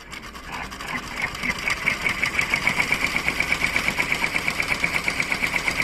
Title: pr1055 strange noise